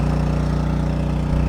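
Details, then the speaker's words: 7 HP Duramax water pump engine started on first pull with choke then unchoked, pumping a pond: steady, even low single-cylinder thrum with no misses or knocks; running normally. "First pull, 1 choke, unchoked it. You hear it running. She's pumping away."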